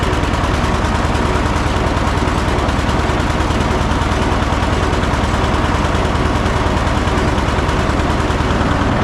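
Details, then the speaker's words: John Deere 730 two-cylinder tractor idled all the way down: slow, even, loping thump at about two beats a second, hopping steadily and unforced, a normal healthy low idle. "Let's see how low it idles all the way down. And it's hopping. This what you like to see."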